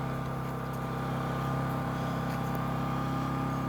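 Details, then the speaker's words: WEN 1250 watt inverter generator in eco mode, heard from about 15 feet: low, steady hum with a faint constant tone and no surging; barely audible, normal running. "I mean, you can barely hear the thing."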